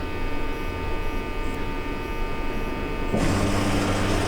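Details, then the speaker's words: 2020 Toyota Tundra 5.7 V8, under 50k miles, that stalls and won't restart when hot: key on after cooling, steady electrical hum, then the fuel pump kicks on late with a louder buzzing whir; intermittent fuel pump operation. "there it go it kicks on so I think I I we proba have to look at the theory and operation"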